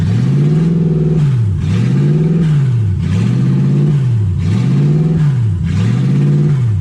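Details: 1UZ V8-swapped Ford Falcon, warm with radiator hot and temperature around 160: idle speed swings up and down about every second and a half, never settling. Owner unsure why; hunting high idle, stuck-open idle air control valve.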